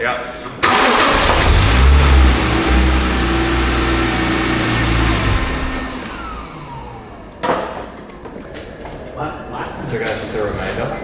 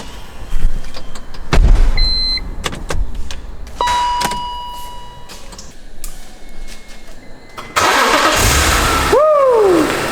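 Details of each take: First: Barn-find BMW E46 M3 after a new fuel pump was fitted and fresh fuel added: the engine cranks evenly about four beats a second for five seconds but never fires; no fuel delivery when the ignition is cycled, and a relay may have gone back in the wrong spot. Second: Barn-find BMW E46 M3 after fuel pump replacement and diagnostics: after a couple of dash chimes the engine cranks, catches at once and settles into a steady, healthy idle; a normal start, with a possible belt noise noted afterward.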